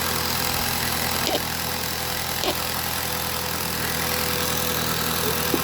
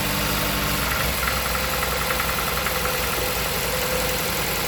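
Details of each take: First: 2016 Jeep Patriot with misfire codes P0302, P0171, P2096 and P000A, after clearing codes: steady, even idle with no shake, running smoothly; charger noise in the background. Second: Jeep Patriot, 162,000 miles, codes P0302 P0171 P2096 P000A: shaky stumbling idle with a regular missing pulse, aggressive cylinder 2 misfire from a failed ignition coil.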